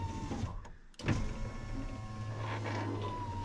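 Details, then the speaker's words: 2000 Ford F250 Super Duty 7.3 diesel power window, fixed by bending out the track the glass had been pushing out: the motor hums steadily as the glass drops quickly and evenly to the bottom. Normal operation. "that's that's what it was that was the ultimate fix for it right there when this window was going down I could see it pushing this track out and I could see the door bending in right there"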